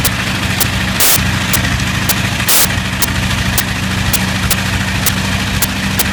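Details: Bristol Hercules radial engine running steady but throwing sharp pops and stumbles every second or so; slight misfire.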